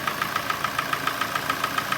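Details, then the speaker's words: Hyundai i40 with G4NA engine, original mileage, knock began in winter; sharp metallic knock repeating about seven times a second over quiet idle; piston slap from scuffed cylinder walls. "Это наш любимый А40 наш любимый G4 чак-чак Бряк Бряк всё как обычно зимой Застучал клиент сразу записался поставил машину больше не эксплуатировался"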